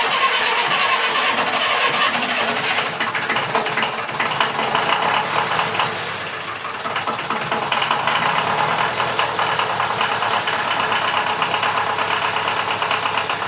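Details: Massey Ferguson 35 (835) tractor with Standard 23C diesel, first start in over a year: steady, even diesel clatter at idle with no misses or surging; engine sounds healthy.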